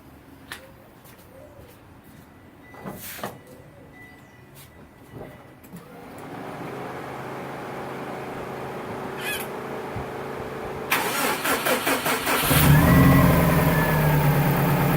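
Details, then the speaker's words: Subaru engine cranks, catches and idles with a rough, deep, steady knock from below, suspected crankshaft area; metal particles were found at the next oil change, and the owner suspects a bearing (rod knock), not yet confirmed. "Tengo un ruido bien feo como por el cigüeñal y esas partes así. No estoy muy seguro si es eso."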